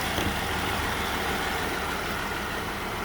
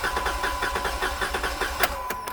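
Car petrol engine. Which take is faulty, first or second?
first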